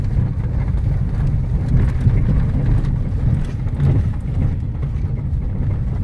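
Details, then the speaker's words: Fiat Strada pickup, after suspension service, driving: steady road rumble and wind with the previous tatatata knocking gone; suspension quiet, though a remaining noise seems to come from the rear tailgate. "eu virei uma fada que aquele barulho do comício tatatatatatatata parou"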